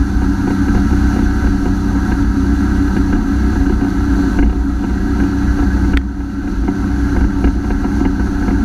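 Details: Honda F-12X AquaTrax jet ski with new turbo at full throttle: flat high drone sagging around six seconds, speed dropping from 60 to 28 MPH; later traced to a clogged fuel filter, earlier turbo replacement likely due to a bad actuator.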